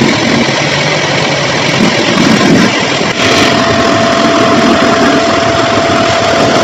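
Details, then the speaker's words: LG 5.5 kg front-load washer after replacing the broken drum spider, which had caused a thumping sound: steady, even hum with no thumps or knocking and a faint thin tone midway; the drum is spinning smoothly. "இப்போ நீட்டாக sound வந்து பார்த்தீங்களா. இதுக்கு இவ்வளோ heart உழைப்பு இருக்குங்க."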